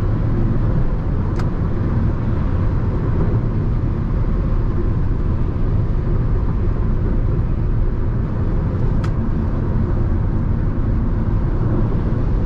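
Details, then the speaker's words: Jeep Renegade T270 interior (cabin) at highway speed, about 110–140 km/h: a steady, deep, loud wind roar fills the cabin with no engine rhythm standing out; the source of the noise is unknown. "Aí vocês vai ver o barulho do vento que vai ficar dentro do carro bicho."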